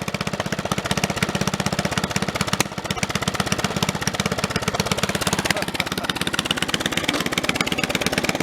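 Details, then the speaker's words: Snapper 30083 mower engine that sat 20–25 years, first run with a junkyard replacement magneto: it runs healthy but shakes hard and rhythmically, because the fitted flywheel suits a synchro-balance engine and this one likely isn't; the other flywheel is to be refitted. "until that flywheel there is often a synchro balance engine and it that thing is vibrating extremely bad"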